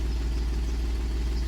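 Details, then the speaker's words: 2010 Volkswagen Touareg diesel that broke down while driving, barely runs: lumpy, uneven idle with a heavy loping beat, cutting out on throttle; one bank contributing, the other dead from lost compression. "I'm going to do it slow now you can see it there minute I touch the throttle she goes to to cut out so I'm not going to make it cut out but I'd show you where we're at and what exactly is happening to this thing this bank is contributing but this bank is not"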